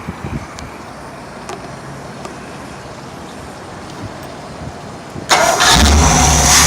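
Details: Mercruiser 454 MK IV marine big-block, freshly built and cam already broken in, run on the hard: quiet, then cranks, catches and settles into a loud, steady, even run with no knocks or misses; healthy.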